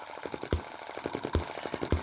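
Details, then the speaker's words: Chinese M19/EM2 hit-and-miss single-cylinder engine after a month of tuning, started by hand: crisp firing beats about every 0.4 seconds with light ticks between; running well, with less smoke than before. "my beautiful little star to being something i hated when it didn't work... now that i've got it running really well well it's my beautiful little star again."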